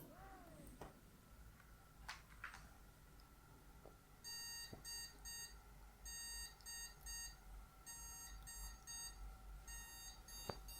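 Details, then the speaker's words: Motherboard speaker POST beep code with no RAM sticks installed: repeating one long beep then two short beeps, continuing; the no-memory beep code when a PC powers on without display. "I'm going off that so with the RAM sticks away from the RAM slots we've had one long beep and then two short beeps beep beep beep and that will continue"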